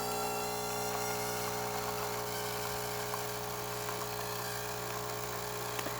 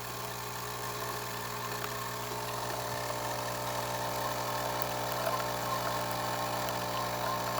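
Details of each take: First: Saeco Intelia 5009b espresso machine after full service, normal brew cycle: steady electric pump buzz and hum with light irregular rattles; steady stream and good crema, though brew unit noise remains, needing deep clean and new O-rings. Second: Saeco Intelia 5009b espresso machine after service, brewing: steady mechanical hum, low drone, faint irregular rattling from the brew unit, which needs deep cleaning and new O-rings to remove the noise; crema and steam otherwise good.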